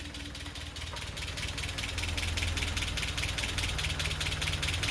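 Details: Land Rover Series 3 engine warm, first run in months after head gasket replacement: light, fairly regular ticking about two and a half per second over idle; source unclear, tick improved slightly with running.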